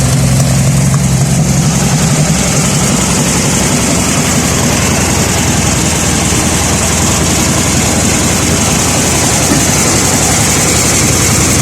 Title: vw beetle engine misfires